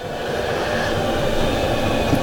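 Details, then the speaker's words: Starter motor on a bike off the road about a year and a half (last MOT April 2024): harsh rough grinding whirr as the engine turns over slowly and won't start, draining the power pack quickly; faulty starter motor grinding. "That is the starter motor, and that sounds really, really horrible when the engine turns over, and it drains my power pack really quickly."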